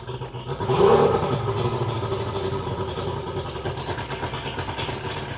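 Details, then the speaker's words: 2001 Mercury 200hp EFI outboard on a ProCraft Fish and Ski boat that will not go past 7 mph under load. After a throttle blip it settles into an irregular, stumbling beat with uneven pulses. A misfire on some cylinders is suspected, not confirmed. "Alright, you can tell she's sick. Sounds like she's not firing on all cylinders to me. It's not an even, like you don't hear it even, like it's off or something."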